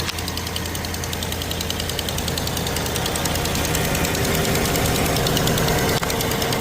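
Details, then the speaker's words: Cold start, engine idling: fast crisp ticking from the front, an exhaust leak at the manifold that goes away once the engine is hot. Either the exhaust manifold gasket has failed or the manifold is cracked, not yet known. "Look like exhaust manifold gasket or it's cracked. We don't know. So, definitely there's a problem with it."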